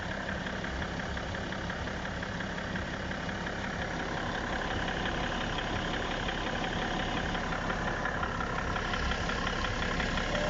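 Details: BMW E60 535d diesel at idle with a sharp, fairly regular knock about three times a second from inside the engine; source unknown to the owner; engine knock at idle.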